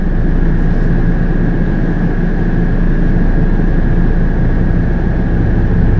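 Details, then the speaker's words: Coleman Mach RV roof AC with newly installed Micro-Air EasyStart soft starter, heard in back bedroom: compressor kicks on barely audibly, steady hum swelling slightly; draw peaks at 22 amps then 18 to 21 amps, a normal soft start. "oh there was so the compressor just kicked on it went to 22."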